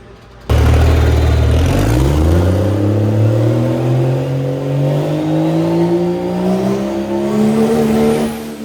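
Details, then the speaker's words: Pro Street truck with new Rossler TH400, after a loose wire that shut it off on shifts was fixed: engine climbs hard and smoothly, eases back at the shift without stumbling, throwing flames; normal revving under acceleration. "when it came up and shifted it would uh shut the truck off yeah that time it didn't it just made made nice Flames"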